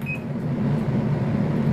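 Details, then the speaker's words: Electrolux EWT top-loading washer, water level set to 2, manual filling: a steady low hum continues and the drum won't start, because the level sensor reads the water volume as still below the set level. "belum berfungsi ya teman-teman atau mesin cuci belum mau bekerja karena di sini terdengar masih ada terdengar suara water pump yang menandakan bahwa sensor yang membaca volume air yang di dalam ini belum sesuai dengan yang ditentukan"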